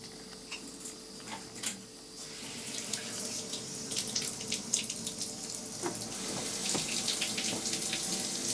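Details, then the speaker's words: Mixer tap after its worn cartridge, whose seal made it hum and sing, was replaced with a new one: water runs with a smooth, even hiss and no humming or singing tone. "Сейчас посмотрим Ирина как принимайте работу вроде не шумит"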